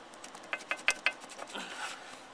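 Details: 1976 AMF Harley-Davidson SS250, cylinder off: piston rocked by hand shows excessive play, mostly diagonal; four sharp metallic clacks then fainter taps, matching the ticking heard. Piston was scuffed after the air filter popped out and caused a lean condition; piston slap suspected.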